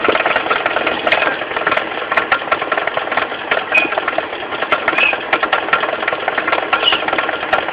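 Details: Mitsubishi 4G15 carburetted engine at steady idle with a light, uneven ticking knock low at the front, the crankshaft pulley area: a loose crankshaft pulley, fixed by tightening it rather than replacing it.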